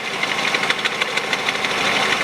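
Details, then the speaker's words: Peugeot 408 2012, 1.6 petrol automatic, 87,000 km, at idle: sharp light ticks in an uneven patter; owner suspects stretched drive belt letting tensioner hit its stop, plus misfires, plugs to be replaced. "натяжитель откручиваю и думаю вот этот стук у меня нет растянутого деревня быстрее всего именно из-за него потому что натяжитель не справляется"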